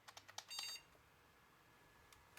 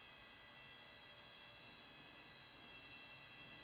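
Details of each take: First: Thrift-find junk AMD PC with original Antec power supply, first power-up: whine, green standby LED, three sharp speaker clicks and a brief high chirp, then quiet; board powers up and posts normally. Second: I don't really care so man that drive sounds like crap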